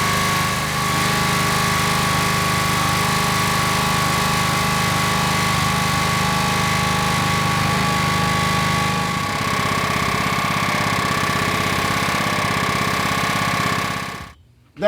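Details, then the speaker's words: Rol-Air air nailer compressor with a Honda GX120 petrol engine, run with one air connector off and no shut-off, building toward max pressure: a steady, fairly quick rough knocking under load that the owner believes comes from the pump. "must be the pump making that noise"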